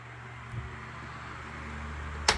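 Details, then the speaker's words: Lasko 3150A 12-inch three-speed oscillating table fan, circa 1980-81, running on high. Steady soft whir over a low even hum with no rattle, ticking or wobble; powerful but not overly loud: normal fan running. "these fans are pretty powerful move a decent amount of air on high still not too overbearingly loud"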